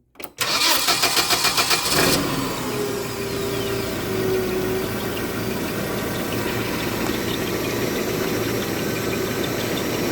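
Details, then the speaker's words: Hyundai 25L with hard-start complaint: when the key is cycled fully without pausing, quick starter cranking catches within two seconds and settles to a steady, even idle; pausing at key-on gives crank, no start. "As you can see, you see the engine will run just fine."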